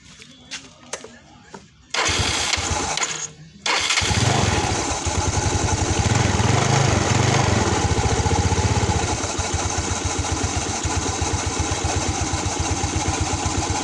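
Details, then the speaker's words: Yamaha Nouvo automatic scooter, owner reports weak pull-off, started and idling, sound from the CVT side: steady even idle with only the usual belt whir, no abnormal CVT noise. "motornya sudah saya hidupkan untuk suara di bagian CVT di sini Sebenarnya tidak ada suara janggal ya teman-teman melainkan hanya suara panbel aja"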